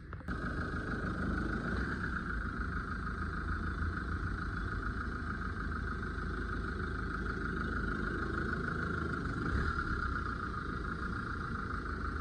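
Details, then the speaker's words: Mahindra XUV500 after replacing the alternator one-way clutch pulley to cure a belt noise, while driving: steady, even running with a light hum and no chirp or squeal. The noise is gone and the belt drive is normal. "இப்ப சுத்தமா sound இல்லை friends"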